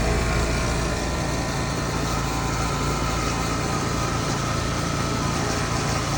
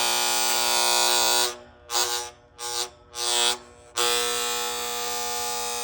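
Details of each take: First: Outdoor AC unit after replacing a failed contactor that caused buzzing: compressor and fan give a steady, even hum with no chatter or buzzing; running normally and quiet. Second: AC outdoor condenser unit with a cheap plastic contactor whose coil was not distributing power well. A loud, harsh electrical buzz cuts out choppily and returns; contactor coil buzz, fixed by replacing the contactor.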